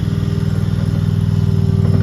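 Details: RODA RD380C mini skid steer loader, gas-powered engine: steady even low chugging with regular firing pulses, no knocks or rattles; running smoothly.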